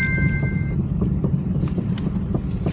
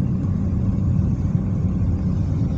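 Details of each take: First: Car driving on road with sharp metallic knocks two or three a second, growing louder, from the left; worn left stabilizer link, replaced. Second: Car driving after replacing worn left stabilizer link that caused suspension knocks: steady low road rumble, no knocks or clunks from the suspension.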